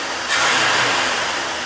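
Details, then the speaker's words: 1986 Ford F-150, idling about 950-1,000 rpm: quick throttle blip rises cleanly and settles without stumble, knock or miss; engine healthy and responsive. "Well, that's what a truck is supposed to sound like."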